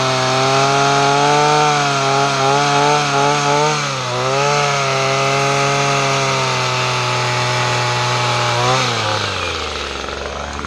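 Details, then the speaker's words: Two-stroke weed trimmer, after fuel-system repair and newly installed parts, choke off: high buzzing tone holding mostly steady with slight wavering, then dropping as it slows; running acceptably, may need a tune-up. "if I go away but both its running that's good news I may have to kind of like tune up a little bit but that's okay though"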